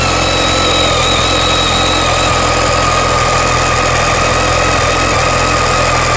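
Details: BMW K1300S running: a thin, high whistle at constant pitch rides over the idle rumble; a screechy engine noise whose cause is unknown, with the owner asking whether it is normal.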